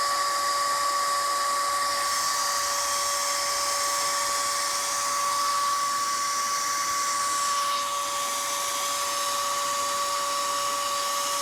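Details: Dell Optiplex GX280 at power-on, no display, even with drives, RAM and cards removed: loud constant jet-like whir, CPU fan stuck at full speed.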